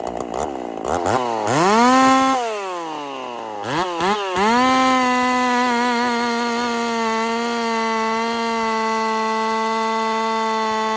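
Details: Husqvarna 50 Partner 5000 hybrid race chainsaw on its first cuts after a rebuild with a machined piston taper, in wood too big for the bar; a few sharp throttle blips, then a steady high scream holding pitch through the cut. Normal cutting under load.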